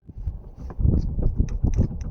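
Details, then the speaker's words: Dull low knocks, about four a second, when the steering wheel is turned quickly, from a loose, playing steering shaft joint at the power steering; tie rods were first suspected; problem fixed. "hear this knocking noise when you quickly turning the steering wheel. You will hear it most of the time."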